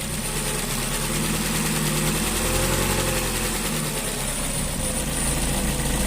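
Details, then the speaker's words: 2.0 SOHC interference engine after broken timing belt repair with six new valves in the head: steady, even idle with a smooth low rumble, no knocks, noise or leaks; normal idle. "Idling just like it should."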